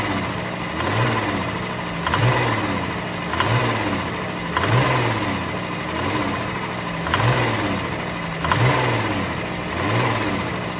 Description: 2015 Grand Caravan with Rod knock on cylinder 6.